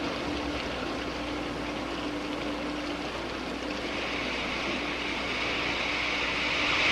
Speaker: this is cavitation when the absolute pressure goes below the vapor pressure of about one inch of mercury boiling occurs the water changes to steam and the subsequent collapse of the bubbles which you can hear creates enormous stresses in the wall